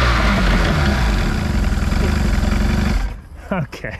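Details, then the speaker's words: Free four-cylinder outboard for a 1982 Glastron bass boat: only the top two cylinders fired until starting spray brought the bottom two in. Now all four run with fast, even popping pulses of about four a second for three seconds, then die away. "i'll try one more thing see if the bottom cylinders kick on with some spray there's the two top ones running there it is okay here's all four"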